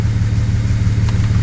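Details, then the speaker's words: 2017 BMW 340i at first start after a Pure 800 turbo install, no fault codes read: deep, lumpy, even low thrum well below normal idle. "all right so i just plugged in my diagnostic tool and it says there is no code so i'm just going to start it up [Music] why is it idling so low"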